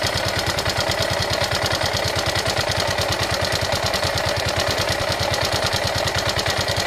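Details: Yamaha Ego Solaris scooter engine running with a harsh, uneven idle and a fast coarse rattle over the beat; engine sounds rough, traced to a worn cylinder and broken cam bearing.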